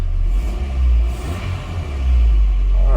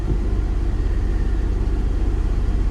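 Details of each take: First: Engine blip on a Copart auction vehicle during a walk-around: deep, even exhaust rumble swells with the throttle and settles cleanly, with no knocks or rattles; it sounds extremely healthy. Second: Copart auction vehicle, warmed up with heater on: idle holds at about 1500 rpm, higher than it should be, a steady rumble that never settles. Inspector suspects an idle air control valve; probably not a major issue.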